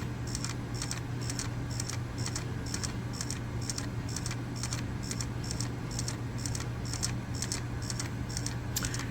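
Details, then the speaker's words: Wii console left boxed for years, disc inserted: light regular clicks about twice a second over a low hum as the laser sled seeks back and forth; cleaning didn't help, then an error appears on screen. Owner suspects failing optical drive laser. "Oh, there goes the skipping again. It's the laser going back and forth. I think that laser is failing."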